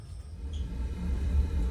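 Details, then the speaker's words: 1958 Triad gas boiler after replacing the failed mercury switch that kept the gas valve from opening: with pilot lit and main gas valve open, a soft low rumble swells into a steady roar as the burners light cleanly. "guys and as you can tell you can hear the burners firing up"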